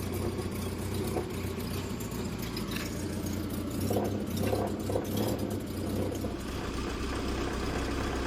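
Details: Triumph Spitfire, first start in 25 years after distributor timing was corrected (suspected 180° out), the carburetor rebuilt and a new electric fuel pump fitted: the engine catches and settles into a steady, even low rumble, running normally.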